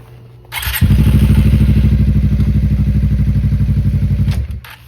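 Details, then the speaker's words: 2018 Suzuki GSXR, once rat-infested: engine runs a few seconds with steady low beat then cuts out when put in gear; owner suspects clutch sensor or kickstand safety switch, later found chewed kickstand switch wire. "I was just about to test drive this thing, but it keeps shutting off when I put it in gear for some reason."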